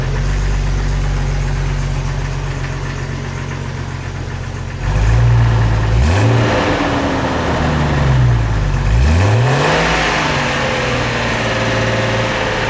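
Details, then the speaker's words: 1999 Jeep Cherokee XJ after new stainless-steel cat-back exhaust installed: steady idle then several clean rev blips, deep even tone without rattles or leaks; healthy exhaust, a bit quieter than the previous welded muffler. "Alright, so as you guys heard, it is a little bit quieter over that thrush welded muffler that we had on prior to this, but that's okay with me because this is a daily driver and I don't want to be totally obnoxious all the time with a loud exhaust a lot better."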